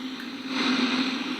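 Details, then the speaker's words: Philips BX626 tube radio after capacitor replacement and a rewired front-end coil continuity fix: steady normal hiss with a faint low hum and no station coming through, reception still very weak. An IF alignment came next. "what happened was when I put it on after that I certainly got all the noise as you can hear the normal radio hiss as we'd expect it"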